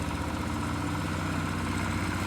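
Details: Nissan CDA20 90hp marine inboard with Z-drive sterndrive on a newly assembled 6.30m boat, launch test; steady low rumble with even firing beat, no knocks or misses, smooth normal idle.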